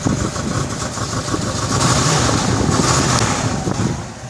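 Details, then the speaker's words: 2001 Cadillac DeVille Northstar V8 at idle: rough, uneven stumbling thumps, severe misfire; engine light flashes under hard acceleration; owner leans towards intake manifold gaskets or spark. "as you can hear it's severely misfiring"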